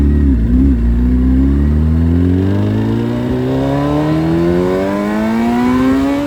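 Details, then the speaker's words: Suzuki Hayabusa with fully built motor and aggressive cams, after cleaning a clogged fuel filter: engine revs smoothly all the way through the range with no stumbling or cutting out. Healthy revving. "So, as you saw in the video, now she revs all the way through."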